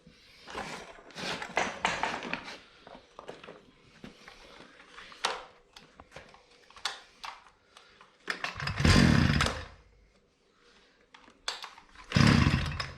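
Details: Hyundai two-stroke brushcutter running at low rpm, head turning slowly and not cutting grass; fuel pump drawing normally. Ragged revving bursts sag instead of climbing, can't reach full revs; bogging.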